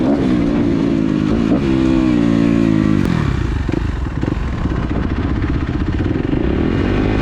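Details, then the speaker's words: Kawasaki KX250F fuel-injected four-stroke dirt bike after replacing the fuel pump filter/strainer that had caused bogging, backfiring and lean running: crisp rev climbs and falls cleanly, then an even idle burble with no bog or popping; normal revving. "The bike runs absolutely great. Throttle response is perfect."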